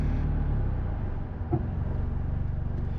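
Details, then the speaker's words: 1989 Honda Prelude Si with code 14, at operating temperature after fast idle valve tightened, no throttle: warm idle wavers up and down with a surging beat; unsteady idle, idle air control valve suspected, cause not confirmed. "it's still all over the [Music] place that's not good"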